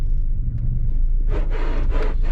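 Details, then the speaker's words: 1994-01 Acura Integra suspension squeaking on all four corners, here going over a speed bump: a burst of rough, creaky squeaks over road rumble; car rides like a boat and pulls right, old struts replaced with new. "guys listen to this squeak when I hit the speed bump listen to"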